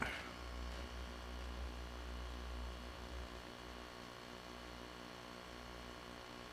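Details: Macintosh SE compact Mac after inspection: steady low mains-type hum with soft fan hiss, no clicks or buzzing; 12V rail slightly high, boots to screen and cursor; normal running hum.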